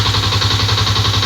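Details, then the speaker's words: Honda PGMFI fuel-injected motorcycle idling, battery at 11.9 V and weak spark: fast, even light metallic clatter every revolution from the worn, still-unrepaired cam chain. Cam chain rattle. "Mohon maaf kalau suaranya ada keletek-kletek. Itu suara dari Keteng ya, Guys."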